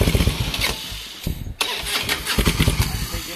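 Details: Harley-Davidson that won't start after falling over on grass: uneven low chugging bursts as the starter turns the engine, never catching; cranks but won't start.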